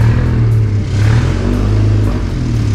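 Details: Honda Mobilio with a gearbox-side flywheel fault, heard before the flywheel is replaced: a harsh, uneven rumble with a rough clattery edge that wavers as the engine runs; the owner says it feels very rough, especially climbing hills; the flywheel is badly worn.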